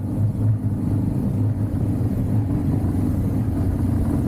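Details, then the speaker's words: Barn-find Suzuki Katana 750, recommissioned after standing 31 years, on a test ride: an uneven, lumpy low rumble as the bike slows, with beats dropping out irregularly. It is misfiring, possibly down to two cylinders; the cause is not confirmed. "She's misfiring, she's not happy. She's down to 2 cylinders, I think."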